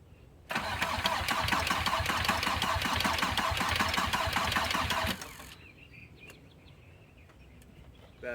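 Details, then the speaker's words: VW Passat B4 diesel after full engine rebuild, bleeding fuel lines at first start with injector lines oozing; labored slow cranking about three chugs a second with no catch, weak battery needing charge. "needs to charge batter is weak"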